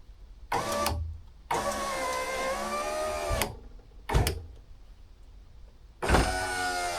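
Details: Honda Civic EJ9 hatch, passenger power window after adjusting, cleaning the rails and greasing the runner: four smooth motor runs of one to two seconds with a steady hum, no grinding or binding; window works normally.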